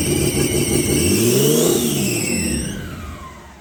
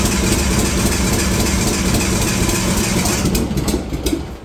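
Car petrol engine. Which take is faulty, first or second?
second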